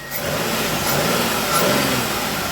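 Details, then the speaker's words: Engine with a start-stall problem (cranked, started and died without throttle) after repair: catches on the first hit and runs steady and even with no misses or stumbles. "First hit, start up and run just as fine as it wants to."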